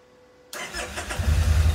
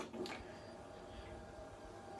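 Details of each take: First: Kawasaki Vulcan Nomad 1600 on old battery with charger connected: brief crank, catches at once and settles into steady even low thump; starts only with charger, battery too weak to fire computer otherwise. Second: Kawasaki Vulcan Nomad 1600 on a weak battery, new one ordered: the starter turns the engine over at a steady rhythm of about three beats a second but it never fires. Owner suspects too little voltage reaching the ECU; unconfirmed.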